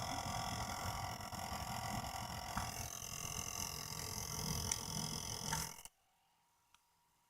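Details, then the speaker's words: Used Radeon R9 Fury X graphics card: loud rough churning with steady high-pitched whine on top, far noisier than the owner's two other Fury X cards; the liquid cooler pump is failing, possibly shipping damage. "but there we go that's the sound of a fury X pump and the throes of death"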